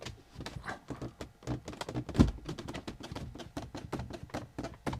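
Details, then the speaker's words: Rolls-Royce Silver Spirit III with the dashboard pulled back: irregular dry creaks and squeaks as the two-part dash trim moves, leather rubbing on leather. A missing bracket screw lets the dash move slightly; leather feed planned to reduce the noise. "And we've got creaking going on between this and this."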